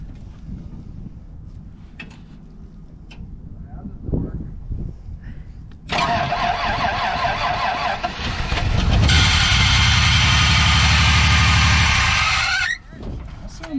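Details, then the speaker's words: 1990 Dodge D150 V6 with manual transmission: the starter cranks a few times, the engine catches, and a loud harsh screech rides over it as the old belt drags the seized smog/air pump. "like that is locked up yep that's hot um smog pumps locked up"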